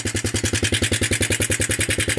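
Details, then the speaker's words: Roughly 1983–84 Suzuki Quadrunner LT125 ATV, after sitting outdoors over a year: fast, even single-cylinder putter about nine beats a second, with an acknowledged odd noise. Runs fairly well after long storage. "so yeah it actually runs pretty decent considering"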